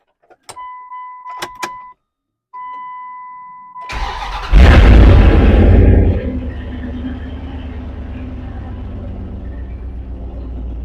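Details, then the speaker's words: 1999 Dodge Durango with the muffler removed, recorded on an external mic: a few chimes, then the starter cranks and the engine catches into a loud, deep, raw rumble at idle; loud open exhaust before muffler replacement. "this is the Durango without the muffler on it hopefully you can hear it good because I have an external mic on"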